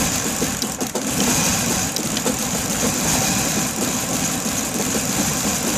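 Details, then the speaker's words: 1994 BMW E31 840Ci that stalled on the street and had crank-no-start: finally starts but idles unevenly with a stumbling, irregular lurching beat, a bad misfire, cause unclear. "So it actually started this time, that's a first, but it sounds like it's misfiring really bad."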